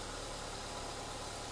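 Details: Ford after new spark plugs, leads, coil pack, fuel filter and exhaust work, first start after ignition service: smooth, even idle with a steady low hum, no misses, knocks or hunting. Normal idle.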